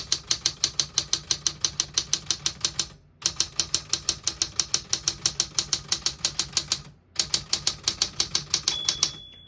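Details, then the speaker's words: On a 1960s Smith-Corona Riviera portable manual typewriter, quick keystrokes come about three per second, then one clear ring of the margin bell sounds at the right margin. The bell works normally. "Once you hear the bell, you're at the end of the margin."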